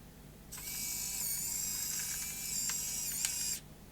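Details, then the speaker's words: Dead Sony CCD-TR55 Video8 camcorder, loading motor bench-powered at 5.5 volts: thin steady high whirr for about three seconds with faint clicks; lacing at the right speed now, slower before at lower voltage. "that sounds like the right speed that time it was a bit slow before"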